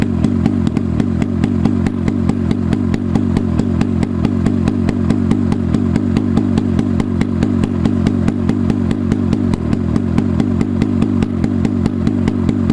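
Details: Rusty Hirth 440 two-stroke snowmobile motor (1972 Snowjet), on a stand outside, after swapping in a carb: rapid, even crackle of firing, steady, no misses; runs.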